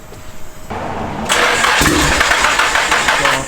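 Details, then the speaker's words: SR20DET-swapped Nissan S13 coupe on its fourth start attempt: a faint steady fuel pump hum as it primes, then the starter cranks hard and rhythmically just before the engine fires. "Yeah, I can hear fuel now. Hey. Here, wait. No, like do that and let's wait for it to stop priming."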